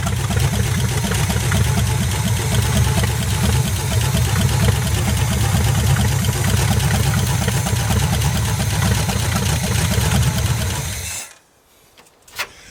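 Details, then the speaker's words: 1973 GMC square body truck, small-block Chevy reportedly 350, parked since 2001, first start: deep, even V8 idle rumble with no knocks or misses for about eleven seconds, then shuts off; good oil pressure, sounds healthy. "sounds pretty healthy yeah I'm going to fill the float bowl and just make sure it wasn't a fluke"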